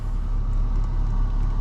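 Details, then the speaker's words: BMW X5 35d diesel after engine rebuild (head resurfaced, valves lapped, oil pump and head gasket replaced, leaking exhaust manifold gasket fixed), being broken in: deep even rumble, no knocks, misses or whine, no warning lights. "Aïe aïe aïe, ça tourne magnifiquement bien, pas un seul voyant d'allumé. Magique."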